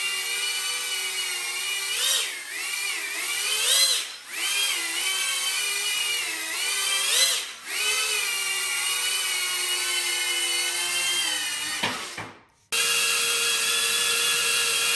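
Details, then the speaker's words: Diatone Taycan 25 cinewhoop after fitting snap-in duct sleeves closing the prop-to-duct gap: steady propeller whine, high tones rising and falling with throttle, cutting and restarting; lower tone, noticeably quieter, normal smooth flight. "notice the cone is lowered and not as loud i can fly this around people"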